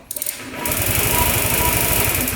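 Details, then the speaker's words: 2007 Honda Metropolitan scooter cranking after the jumper pack was reconnected; a loose positive or bad relay is suspected for the earlier no-crank. Quick starter whir, then steady, even chugging as the engine turns over freely; electric start works normally. "turns over just fine. So, electric start does work."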